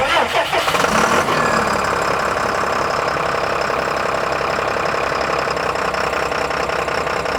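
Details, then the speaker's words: Abandoned RV diesel gives a rough start burst, then steady, uneven cranking that never catches. Air likely entered the injector lines when the fuel was drained; the lines are being bled. "And I probably added a whole bunch of air when I was draining all that fuel out of there."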